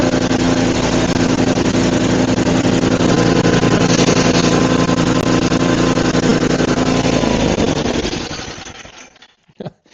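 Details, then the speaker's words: Murray 5HP 24-inch snowblower (Tecumseh) after head gasket and carb repair: busy even single-cylinder chatter at steady speed about eight seconds, then winds down; solid runner. "I never checked if there's anything in there, and I guess there was a couple rocks, but anyways, solid runner."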